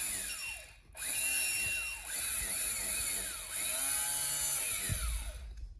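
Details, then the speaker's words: Honda 400EX starter motor removed from the quad, run unloaded on a jump box; high electric whir spinning up and coasting down smoothly with no grinding; starter healthy, engine later found locking up. "So you can hear. It turns over fine."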